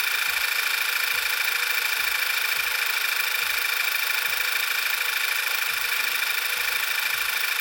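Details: 2012 VW Beetle 2.0T TSI turbo, 40K miles, idling right after new Audi R8 red coil packs and NGK iridium plugs were fitted for sluggishness and slow starting; steady idle under loud hiss, soft even low pulses about three a second, no misfire. Normal idle.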